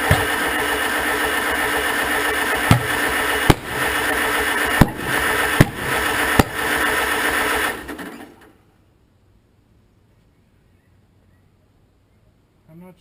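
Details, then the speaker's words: 1947 Farmall M, first start attempt after rebuild: steady cranking with about five sharp backfire pops over four seconds that never catch; spark doubtful, timing advanced, fuel draw from carburetor suspect; fires occasionally, no start. "getting a lot of backfiring but no starts"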